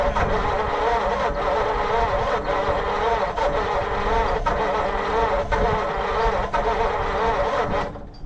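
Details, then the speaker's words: 1940 Mercury Eight flathead V8, stored since the 1970s, fuel poured in for a first start attempt: slow, labored cranking with uneven pulses about once a second, trying to catch but never firing; timing adjustment next. "Ooh, it sounds like it wants to do something."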